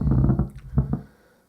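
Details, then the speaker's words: 1993 Miller & Kreisel VX-7B subwoofer (Sanyo STK4040V amp module), powered on: irregular low thumps with quiet gaps through the speaker as the control pot is rotated; noisy, scratchy potentiometer. "the pot is noisy okay so I might just unplug that"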